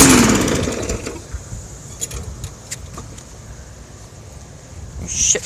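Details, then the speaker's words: Murray mower with a 125 cc engine, owner guesses around 9 hp or less: a low rumble broken by sharp, irregular pops every half second or so; cause of the popping unknown to the owner. "popping in this thing yeah I don't know why it's popping"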